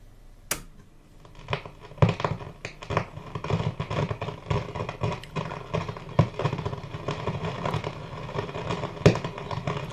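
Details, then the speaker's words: Westinghouse Wide-Fi W516M (AWA Radiola B15) valve radio that suddenly began making irregular crackling crashes over a low hum. The noise is unaffected by the volume control, so the fault lies after it; silver mica noise is suspected. "yesterday it started at about two o'clock it just started making a crashing noise silver mica noise"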